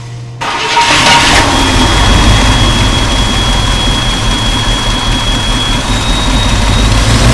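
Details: 1966 Ford Thunderbird V8 barn find, stored since 1988, restarting after replacing three bent pushrods, fuel pump, plugs, wires, cap, rotor and hoses: short crank, catches and settles into a steady, even idle with a faint high whistle; starts and runs.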